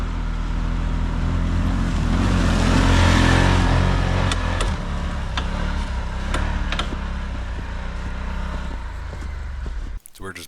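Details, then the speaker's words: Brand-new 2023 Can-Am Commander on tracks, first trip: engine drones while sharp isolated clunks come every second or so over bumps; suspected sway bar, differential also considered, clunks faded as the day went on, cause unconfirmed. "so the brand new machine's having some clunking sounds he's going over bumps so we're just trying to get that figured out before we uh make our way on this long trip"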